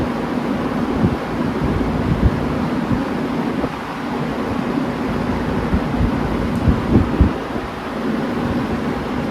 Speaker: Pretty darn quiet. Excellent startup sound, as you heard.